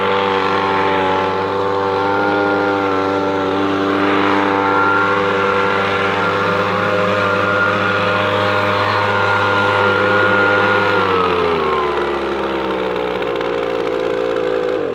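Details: Echo PB-250LN handheld two-stroke leaf blower after fuel line repair, warmed up after the first minute: steady high-revving buzz at even pitch dropping smoothly as throttle eases; owner questions whether it blows strongly enough; normal running.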